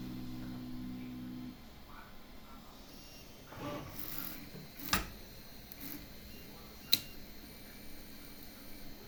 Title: The printer makes a ticking noise but doesn't print anything.